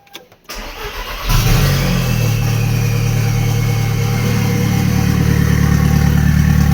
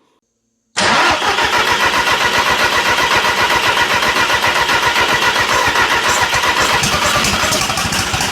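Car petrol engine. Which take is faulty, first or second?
second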